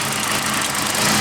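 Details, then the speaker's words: Nissan 180SX drift car after cleaning plugs, fuel pressure lowered from 50 to 40, fuel pump hard-wired: uneven lumpy idle with hissy top end and irregular beat; rough idle. "look i'd be lying if i said it was running great but it's running and running is what matters"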